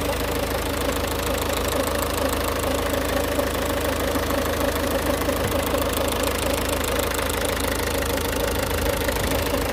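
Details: Ford Focus Mk2 1.6 TDCi 109 HP diesel at idle: rough scraping rub under clatter near left engine mount, sometimes goes away, drives normally; owner suspects high-pressure pump or water pump; timing belt kit changed 95,000 km ago.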